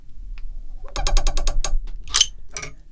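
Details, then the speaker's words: Compression fitting on a valve tightened dry without jointing paste: quick ratchet clicks, then a short high squeak as the fitting pulls up, which warns it may leak later. "Now, that's a noise that I don't like to hear. Like I said, I was always taught if it squeaks, it leaks."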